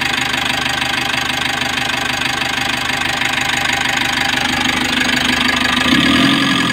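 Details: 2020 Mitsubishi L300 with 4N14 diesel, after engine overhaul for knocking (bearing): steady, even idle, smooth and quiet with no knock; engine now okay, though check-engine codes P0336 and P0116 (crankshaft sensor) persist.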